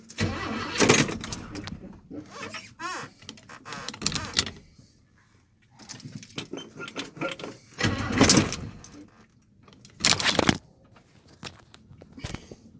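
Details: Old Chevy pickup truck: repeated short bursts of cranking and brief catches, separated by pauses with pedal pumping between them, then revving. Hard starting.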